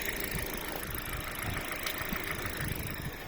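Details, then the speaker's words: Warm Kia Rio, catalytic converter collapsed at 90,000 km, with past overheating and oil starvation, valve cover seeping oil: loud rough idle with dull knock underneath; cause not pinned down. "То есть и стук здесь есть, который многих интересует, потому что машина громкая, скажем так. Можете послушать, кого интересует. Это двигатель прогретый."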